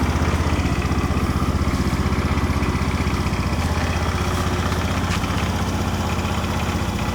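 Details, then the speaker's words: 2011 Honda Scoopy i scooter with fresh engine and gear oil: starts easily into a quiet single-cylinder idle, low even pulsing at about four beats a second, no knocks or rattles; healthy and quiet. "เดี๋ยวลองฟังเสียงเครื่องดูนะครับผมเดี๋ยสตาร์ดูครับก็ติดง่ายๆโอเคนะครับไม่มีปัญหาอะไรเพิ่งเงียบๆนะครับ"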